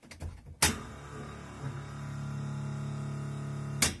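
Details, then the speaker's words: Hot rod electric fuel pump, now wired through a relay: relay clicks in, steady low hum about two seconds, clicks off; pump working normally. "And the fuel pump is now wired to a relay, so that takes a lot of the amperage out of the switch itself."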